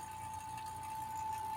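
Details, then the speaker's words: New vacuum pump evacuating an air conditioner being repaired for leaking PEX-to-PEX fittings, gauge not reaching 30: steady even high hum over low drone, pitch dropping as less air remains in the system; normal pull-down. "Y miren que ya le bajó el sonido, porque cada vez que cuando le baja el sonido es porque ya hay menos aire en el sistema."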